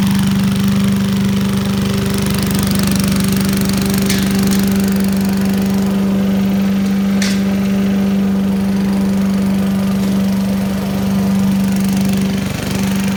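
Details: 1980s Billy Goat vacuum, small single-cylinder engine, after draining turpentine-smelling old fuel for fresh gas and a weak spark: steady even drone with no misses or knocks; needs extra pulls to start, owner suspects low compression, runs like a champ.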